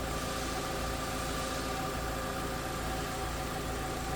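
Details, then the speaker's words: 2000 Volkswagen New Beetle GLS, low-mileage four-cylinder idling with hood open, engine bay view: steady, even hum with no knocks, misses or rhythm changes; running smooth, normal idle. "Running smooth. Low mile, clean Carfax,"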